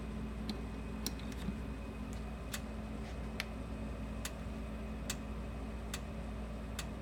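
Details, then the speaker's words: Repaired Sens O Matic solid-state electric fence energizer putting out about 7,000–8,000 volts: sharp dry ticks repeat evenly about every 0.85 seconds over a quiet low hum; normal quicker pulsing. "So as you can see, it kind of has a quicker pulse."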